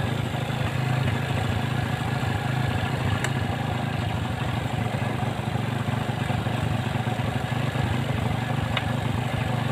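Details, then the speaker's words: Honda Revo fuel-injected motorcycle after repair of ticking ("ngeletek") noise: even, steady single-cylinder idle with soft regular beat, no ticking or clatter; smooth and healthy. "Oke untuk suaranya halus ya hasilnya halus"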